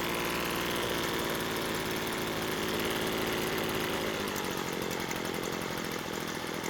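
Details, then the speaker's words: Two-stroke blower that started but would not stay running, with a replacement carb fitted, during carb adjustment: raspy idle drifting and sagging, slowing down at idle, which is abnormal; it improved by the end of adjustment, but only temporarily. "It seemed like the engine was slowing down while at idle, which is not normal."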